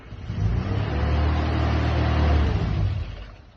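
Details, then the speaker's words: 1963 Mini Cooper 997cc, cold start after fuel pump priming with a little choke, small filters fitted; engine needs a good deal of choke: low rumble swells for a couple of seconds then fades without idling; fails to catch, starts on the next try. "But the engine's actually really sweet, runs nice, needs a good deal of choke, so there's some setup to sort it."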